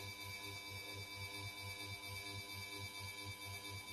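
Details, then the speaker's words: SMC Omega KW52 ceiling fan with light kit, from December 2008, run through speeds: low hum throbbing about twice a second with a faint steady whine; noisy fan, cause not clear. "is pretty noisy, as you can hear."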